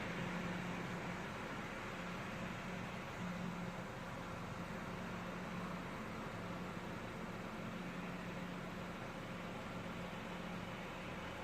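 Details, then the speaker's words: 2014 Chevy Sonic 1.8L non-turbo, 84,000 miles, warm idle after replacing the plastic valve cover with integrated PCV valve: quiet even hum, no ticks, knocks or hunting; check engine light off, normal idle. "It's usually right on 800 when shit's running right, when it's warmed up some. Whew. That's looking pretty good."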